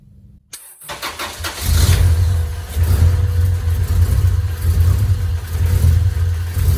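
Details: Honda B18 "race" engine from eBay, first start before mapping, fuel pressure about 50 psi: starter whirs, catches within a second, settles to even steady low idle, no knocks or misses; no smoke or leaks.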